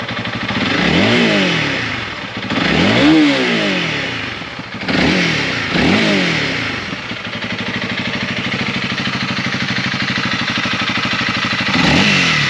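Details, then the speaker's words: Honda CRF300L, warmed up, after the issue was found and fixed: single-cylinder revs climb and drop cleanly several times then steady idle; earlier weird sounds in the 7,500–8,000 rpm range are gone, no buzzing or rattle; normal revving. "all right so obviously that sounds a little bit better than what it did before uh it was making the weird sounds in that 75 to 8000 rpm rev range so not doing it anymore"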